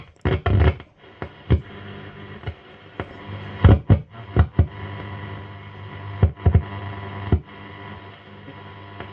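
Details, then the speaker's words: 1949 Stromberg Carlson 10A79 radiogram, tuned to a station with a poor antenna: irregular loud crackles and pops over hiss. The crackling likely comes from the radio section; the amp seems fine. "I think all the crackling and stuff before was coming out of the radio."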